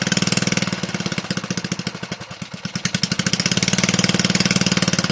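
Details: Toro 18005 mower, Tecumseh engine (possibly TVS series), carburetor cleaned, tank refitted and fueled, oil barely on dipstick: quick even popping beat that sags briefly then steadies; engine caught and runs on its own.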